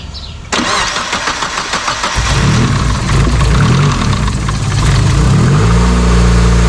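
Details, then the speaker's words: Mazda Miata after fixing the known crank pulley wobble with a new keyway, new woodruff key and Loctite, belt refitted: it cranks briefly and settles into a steady, even idle with no wobble, though a downpipe exhaust leak is noted. Healthy. "this was my main problem with this damn pulley shake but now it's running so smooth i'm happy it's running smooth"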